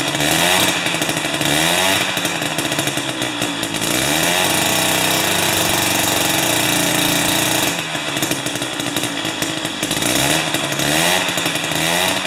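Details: Jiffy 30 2-stroke 3HP ice auger on 30:1 fuel: buzzy note revs up and drops back in waves, picking up throttle and holding speed; running normally.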